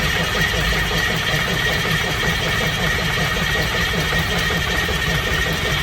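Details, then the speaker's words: 1982 Wanderlodge FC bus diesel after injector pump replacement: heavy steady cranking on starter that never fires; shut-off solenoid not heard clicking, suspected lack of electrical power to it, unconfirmed. "Shut off solenoid. Doesn't normally you hear that thing click pretty good. Yeah, I'm not hearing it sound like it's getting electrical power to what we need."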